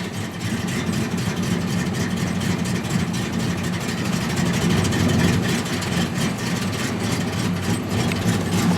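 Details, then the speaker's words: 1981 Ford Fairmont wagon 5.0 V8 (T5 swap), cold start after two days sitting, on an old junkyard battery: deep, even burble at steady cold idle with no knocks or misses; runs normally. "that fires up real nice so it's not been sitting for months like you guys have seen before"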